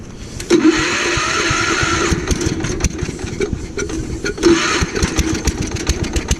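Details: Gravely Commercial 12 34" Snow Cannon snowblower, cold start after about a month unused, on choke: engine surges and sags unevenly, picking up in bursts then falling off; owner suspects a fuel issue, found as fuel starvation from a shrunken fuel line.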